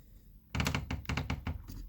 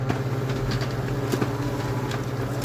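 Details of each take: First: Kyocera P3145dn laser printer, which crackles, runs loudly and jams paper near the photodrum. With the cover closed and the drum drive engaged, the motor turns and the drive gear stays put, giving bursts of sharp cracking knocks from a stripped drive gear (Z128R 302L231040). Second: Kyocera P3145dn laser printer after the Z128R 302L231040 gear was replaced and the unit reassembled: an even, low, quiet hum with no crackle or squeal, so printing is normal.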